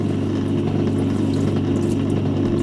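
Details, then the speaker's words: Hotpoint Empress vintage single-tub washer, pump draining water through a heavily scaled pipe during a test wash: steady even pump hum with water sloshing through, no knocking or grinding; drain pump working normally. "not bad actually it's just working of course all the water you put in you've got a take out"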